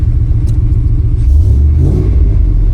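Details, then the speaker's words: Vehicle running after a DIY crankshaft position sensor replacement: a deep, steady low rumble with a slight swell in revs and no rattles or ticks; the engine sounds healthy. "But for now, yeah, she's uh she's back. She sounds good."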